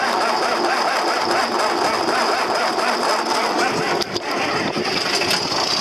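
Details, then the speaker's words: Cold tractor (4320) started after a shot of ether; after a hard start it settles into steady, even diesel running with no misses, knocks or hunting; sounds healthy. "Wow. A bit of a hard start. All right, it sounds good."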